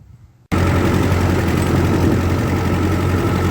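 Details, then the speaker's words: 1948 Ford 8N tractor after tire and wheel warranty work, driven up a hill in a field: steady, even, low four-cylinder beat under load with no knocks or misses. Normal running. "you can hear it now it's going up this hill and the engine can take it it just kind of leans into it and off we go"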